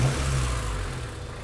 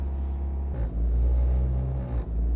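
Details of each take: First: Honda Civic hatchback petrol engine idling low and steady at about 500–600 rpm with no rise or fall, after repairing a years-long idle surge; owner thinks idle may need adjusting higher. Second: Honda Civic hatchback petrol engine idle surge: high, unsteady idle wandering about 1,500–1,900 rpm instead of settling, present for years, comes and goes while driving.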